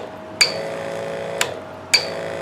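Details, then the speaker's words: Harbor Freight 94573 12 V backpack sprayer, about 2011, opened with old battery: three short, high-pitched chirps over a faint hum from the low-voltage warning buzzer. "The only other little bit of electronics inside there is this little unit, which is the little buzzer that sounds when the voltage gets low."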